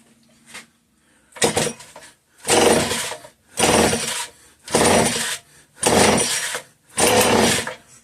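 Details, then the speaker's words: Homelite 150 chainsaw: rough bursts about once a second as the cord is pulled, trying to catch but never running; fuel pouring out one side and odd sound when pulling the rope, cause unconfirmed. "She tried to fire. It's going to get real smoky real quick."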